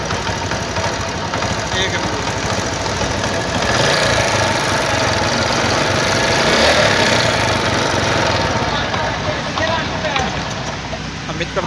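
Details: CD 70 China bike after silencer/exhaust repair: steady, even single-cylinder beat through the run with no sharp puffing or ticking at the head pipe; exhaust sounds sealed, normal note.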